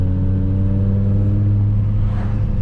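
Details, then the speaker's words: BMW E60 M5 with S85 V10, after new coil packs on cylinders 2 and 3 and an updated ionic module, held at light throttle: engine drones at even pitch and volume, with none of the earlier louder-quieter surging; smooth, steady running. "Like now I'm barely holding on the accelerator like I was talking about before, and it's not going off and on. Like before you can hear it getting louder and quieter, louder and quieter, louder and quieter. It's not really doing that."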